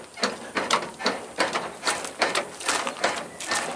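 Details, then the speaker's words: Truck being rocked by hand: about seventy dull clacks a minute, back and forth, from the sway bar under the cab knocking in its worn bushings. "you hear that hitting back and forth it's that bar under the cab that has the bushings are going in it"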